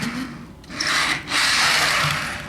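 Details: 2014-run Intermountain cylindrical grain hopper model freight car: dry, hissy scraping in two bursts as it rolls; coupler box screw heads are too tall and rub the outer wheelset axle, causing squeak and drag. Fix: grind the screws down.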